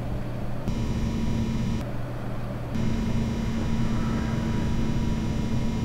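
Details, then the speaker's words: Idle noise of an EVGA RTX 2080 Ti XC Hybrid liquid-cooled graphics card: steady fridge-like low hum with a faint high whine from the cooler's pump. "Ah ... it was pump noise ... ah ... It was the pump noise ... This was pump noise ..."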